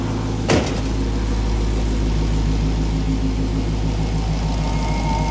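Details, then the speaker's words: Dodge Hellcat supercharged HEMI V8 with factory Redeye intake, warming up: door thump, then deep, steady idle burble with faint supercharger whine; normal idle. "You can actually hear the supercharger. Listen to that thing sucking."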